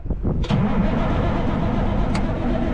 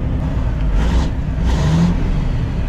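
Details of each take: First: Kenworth Texas bed truck being revived: a steady, even cranking churn for several seconds as the big diesel turns over but never fires. The injection pump solenoid clicks; the fuel level was found to be near empty afterwards. Cause unconfirmed. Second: Kenworth Texas bed truck, Caterpillar diesel, revived after fuel system priming and throttle linkage lubed: deep strong rumble swelling smoothly through two throttle blips, no knocks or misses; sounds good.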